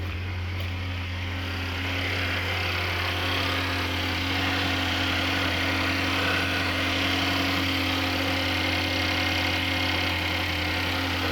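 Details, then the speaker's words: 2015 Chevrolet Equinox 2.4L with a fuel pressure regulator code, after timing chain repair. The idle is steady and smooth with a low hum and light valve-train ticking, much quieter and smoother than before, with no check engine light. "lot quieter, a lot smoother. Everything hit together."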